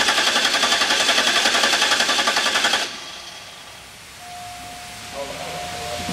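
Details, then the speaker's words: 2005 Cadillac DeVille Northstar with code P0385, scan tool set to crank sensor B only: steady starter cranking about four beats a second, never firing, 0 rpm shown; PCM not reading sensor B despite a good scoped signal and both sensors replaced. "also as right now on a skin tool if I crank it we have zero RPM as you heard it doesn't start"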